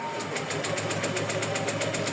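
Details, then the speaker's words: Honda PCX160 scooter cranks but won't start: steady starter cranking about six pulses a second, never catching; battery and spark plug already replaced; no fuel delivery. "pcx 1660 Hindi umaandar Ano nga ba ang dahilan so hindi nagpu-push through puro redondo lang yan"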